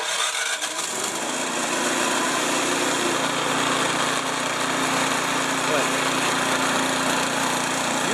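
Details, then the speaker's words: Snow blower with electric start, choke used, running after reassembly with a new muffler assembly replacing an eight-year-old one; steady, even small-engine drone with no popping or rattle, much quieter than before; normal running. "guys probably can't tell but I tell you that's a lot quieter than it was before so nothing's coming out sounds good"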